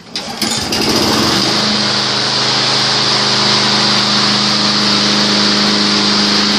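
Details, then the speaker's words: Weed Eater 22-inch front-wheel-drive mower with a Briggs & Stratton engine, salvaged from the trash, after the coil was refitted and gapped and the oil changed: fires on one primer push and the first pull, then a steady buzz measured at about 2,450 rpm low and 3,100 rpm high; healthy. "as you saw there one push of primer first pull fired right up"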